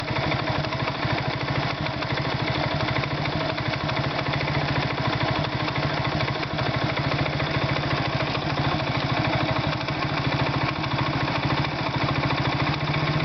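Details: Irbis Virago 110 motorcycle idling: a fast, even tapping rides over the small single's exhaust beat throughout. An engine knock, source undetermined.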